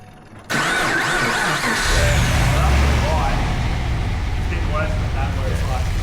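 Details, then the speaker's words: Holden VE Commodore with an L98 V8, boosted and on flex fuel, after several runs: the starter turns over slowly and lazily before the engine catches into a lumpy idle. Slow cranking; the alternator charges fine, and a weak battery is suspected. "Alternator's charging well, but after a few runs you can sort of see it start to get lazy to start."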